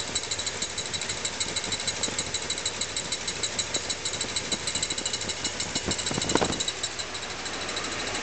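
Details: Small-block Chevy (SBC) V8 idling; fast light ticking about three per second, owner believes it comes from the timing chain cover, not confirmed.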